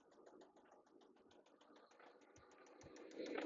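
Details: 1995 Toyota Camry LE with the 5S-FE engine and automatic transmission: quick, uneven tapping of about three per second at idle that grows louder. It sounds fine briefly, then starts knocking; the cause is unknown and the engine is to be torn down.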